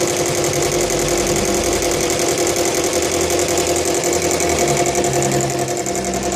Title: bl5 legacy rattling noise